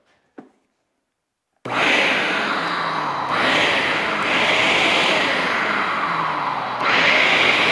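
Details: RIDGID wet/dry shop vac from 2004 after fan blade repair with a lathe-turned PA12-CF printed blade, reassembled and running: steady high rushing whine with smooth even motor hum, no scraping or wobble, normal.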